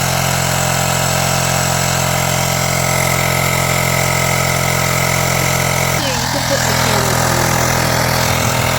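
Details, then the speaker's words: USB rechargeable air pump inflating the plugged motorcycle rear tire from 0 toward 2.4, unit gets very hot: steady buzzing hum at an even pitch, then the note shifts and eases; normal running. "And we're going to pump this up to 2.4. It's currently at 0. So we're gonna turn"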